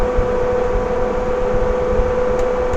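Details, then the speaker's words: Swift Conqueror 480 caravan roof extractor fan, reversible between extracting and blowing cool air in: steady, even mid-pitched hum with no rattle or rubbing; running smoothly. "on a warm day we can also blow cool air into the caravan and if we just let that stop and then reverse that that will then start blowing cool air into the caravan"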